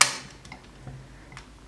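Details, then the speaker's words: Paragon 8045 mechanical defrost timer on 208 V, manually advanced: one sharp mechanical click then near silence as the contacts switch over into defrost (1–3 continuity, 1–4 open), working normally. "we're gonna hear the big click right there and we should be in defrost"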